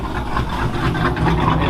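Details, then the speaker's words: Cold-start idle of 5.7-liter "Joker" V8 with Texas Bean Stage 2 cam, on the dyno before tuning on a crisp, cool morning: deep, choppy, uneven loping big-cam beat, otherwise running normally; a normal lopey idle. "Joker sounding good on this crisp, cool morning. We'll get some tuning on this thing, see what she makes."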